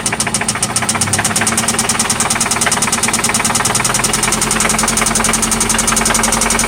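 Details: 1995 Toyota Celica ST at idle, after an oil change and new spark plugs: sharp, fast metallic knock about three per second, seeming to come from one spot; cause undetermined.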